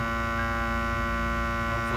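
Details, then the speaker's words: 2002 Toyota Tacoma, passenger side: silent with key off, then steady droning electrical buzz at constant pitch when key turned on; source unidentified, owner seeking help. Buzzing noise at key-on. "hopefully hear that in that area is the droning, buzzing noise of which I spoke."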